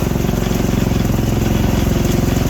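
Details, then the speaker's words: T-Rex go-kart after a crash, with year-old gas: small single thumps at a low idle without picking up cleanly, poor throttle response; seems to need richening, cause unconfirmed. "It's got year-old gas in it. See, the throttle response is not there. Sounds like it needs to be richened up a little bit."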